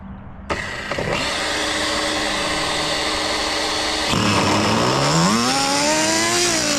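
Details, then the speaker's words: Budget pro nitro RC engine, glow plug found bad, fired up: catches within a second, high steady buzz, revs climb and fall cleanly without stumbling; normal running. "You can tell there's a lot of power to the ground in the back with that diff fluid."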